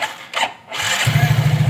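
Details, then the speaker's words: Yamaha Mio J automatic scooter after replacing worn rear pulley seal and damaged pulley sleeve (previously noisy transmission): fires up and settles into steady even idle, no belt rattle or grinding; normal idle. "Ini lancar, saudaraku. Tidak ada suara bising."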